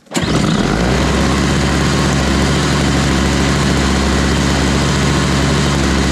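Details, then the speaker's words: Toro Powerlite single-stage snow blower, 98cc two-stroke, model 381182, after fitting a new primer bulb, choked, at 51°F: catches almost instantly on the first pull, steady even two-stroke buzz with no misfires; starts and runs cleanly. "that's it. It worked. I think that job is done."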